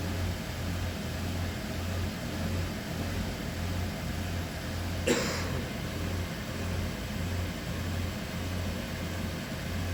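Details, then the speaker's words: Toyota Prius 30 running with the heater on, EGR position changed via a Techstream active test. A low, even engine drone gains a rhythmic dull knock as soon as the EGR opens: engine knock caused by EGR opening; no misfires were recorded. "Ну вот, как начали менять позицию EGR, у нас сразу же застучало."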